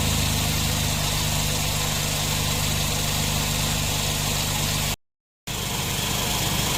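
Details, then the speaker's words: Nissan NV van at idle after the customer's loose, noisy A/C compressor was replaced with a new one; compressor now runs quietly, steady even hum, no rattle, grind or clutch chatter, cycles on/off normally, cabin vent temperature 7.3 — normal compressor operation. "หัวข้อแม่ลูกใหม่ทำงานกับต่อเป็นปกติก็เรียบร้อย"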